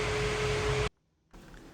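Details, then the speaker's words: EV conversion onboard charger under functional testing after fitting a new AC plug, charging at about 15 amps: the charger click, then an even fan whoosh with faint steady hum that cuts off abruptly, then a quiet hiss; charger cooling fan running normally. "You can hear the fan going on for the onboard charger. And I'm getting a good charge now."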